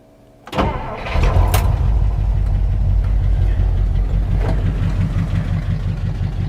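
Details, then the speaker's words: 1959 Dodge Coronet V8 with two-speed push-button automatic, abandoned car started: lumpy idle with an uneven "tut tut" beat on one bank, a suspected misfire despite new plugs, wires, distributor cap, rotor and points. "Do you hear a misfire? It sounds like this side is running smooth, but I hear a tut tut tut tut tut tut tut tut. Yeah, I'm pretty sure we got a misfire on that side,"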